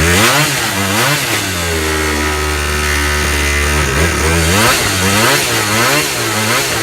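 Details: Razor scooter two-stroke engine conversion after rebuild with new piston rings, good compression, first start, dry assembly: raspy high, hunting idle surging up and down without dying; idle speed needs turning down.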